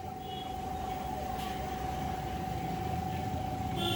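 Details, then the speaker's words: Table fan after repair, with a new shaft and new bush fitted, under supply power: a smooth steady hum and even whirr with no scraping or catching. Before the repair it locked up on power and only spun by hand. Now it runs freely and normally. "त्याला आपण supply देऊन आता चालू करून बघूया. एकदम व्यवस्थित चालू झालेलं आहेत."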